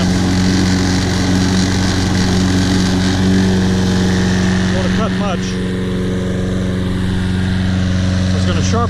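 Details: Toro Personal Pace Recycler, after carburetor cleaning, tank flush and a new air filter: steady, even engine beat at constant speed with no misses, now running great.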